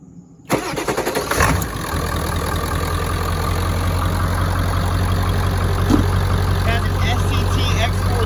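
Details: 2002 Ford F-250 7.3L Powerstroke turbo diesel, 236,000 miles, 4.5-inch turbo-back exhaust exiting behind cab: cranks briefly, fires and settles into deep, steady diesel clatter with even low drone; healthy start and idle.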